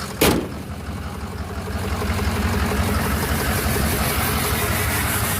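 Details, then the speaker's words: Flatbed truck at 213,379 on the odometer, startup: catches instantly then settles into an uneven loping, stumbling idle; misfire at idle getting worse. "that sounds terrible now it's running bad island now it's definitely getting worse"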